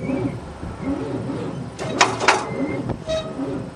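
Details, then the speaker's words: 1978 Monte Carlo 305 V8 in a 1963 Allis-Chalmers loader, parked 5.5 years, jury-rigged battery: slow, labored starter churn under a turn a second, engine feels tight and won't fire; owner suspects battery connection or seizing motor. "Well, I think I gotta see if it's a battery connection or a seizing motor. No luck so far."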